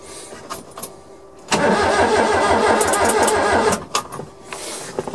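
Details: Suzuki Carry mini truck, first crank on 275 CCA battery, fuel pump heard priming, no spark expected: starter spins engine freely about two seconds, even pulse near 200 a minute, no clanks or stuck valves; does not fire.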